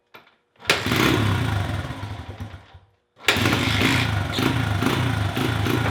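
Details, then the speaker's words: Honda XR100 with cleaned, repeatedly readjusted carburetor and fresh fuel: fires, sags and dies within two seconds, restarts running rough; bogs and wants to cut off on any real throttle, no ticking or cam chain noise; owner suspects a fuel issue. "I can get it to fire up but as soon as I give it any substantial amount of throttle it'll just bog down and want to cut off"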